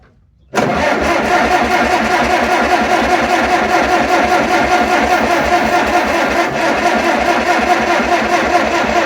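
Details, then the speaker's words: Tractor with carburetor dumping gasoline, owner believes badly flooded; with fuel shut off and choke open, starter churns steadily about nine seconds without firing; owner plans to pull a plug to check for rust: cranking no-start, flooded. "it's not going to go well that didn't go like planned"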